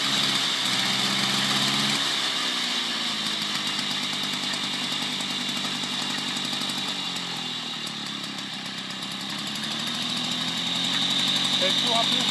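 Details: 1972 Motobécane 40V moped, first start after cleaning and engine overhaul, barn-find: crisp two-stroke buzz rising and falling smoothly with throttle, firing steadily; normal running.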